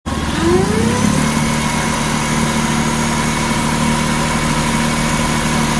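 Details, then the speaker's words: 2007–2011 Jeep Wrangler JK 3.8L, alternator at startup and idle. A tone sweeps up with revs, then a steady whine sits over the idle; the alternator whine is likely from failing bearings. "as you probably heard in the first part of this video my alternator is making a really horrible whining noise very likely the bearings are going out"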